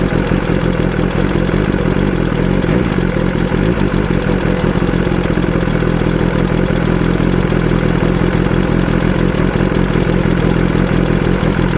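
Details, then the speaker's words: BMW S1000RR engine: busy, even idle with a fast light clatter; worn camshaft leaves a gap between rocker arm and cam, causing ticking; camshaft must be replaced. "カムシャフトがですね、はい。少し、なんていうんですかね、削れてまして、はで、要は、ロッカーアームで、バルブを押してるんですけども、あ。はい。ロッカーアームと、カムシャフトの間にはい。隙間ができて、はい。カタカタカタカタ音が鳴ってるみたいなんです。"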